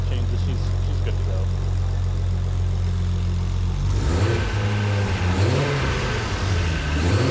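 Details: Rebuilt RB25DET with new Garrett G35-1050 turbo on standalone, during break-in on break-in oil: smooth steady idle for four seconds, then clean blips rising and falling without misfire or knock; engine healthy.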